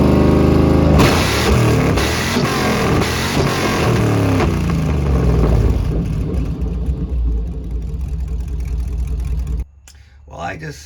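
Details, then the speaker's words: 2004 Chevy box truck V8 after a $69 fix restored firing on a dead cylinder: clean blips and revs, then an even, full-sounding beat before shutting off, no obvious misfire. "oh that's a relief okay that is a massive massive relief $69 fix I'll take it"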